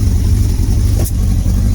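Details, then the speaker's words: Motorcycle (Bandit sticker fitted) being started with the air filter off for extra air. It struggles to start, with a low, lumpy idle and a pop as the other cylinder tries to cut in and out: a misfire. "You'll hear that other cylinder trying to come in. You hear it? We're trying to make sure nothing's amiss. Looks okay. Hear that pop, and that's one of those."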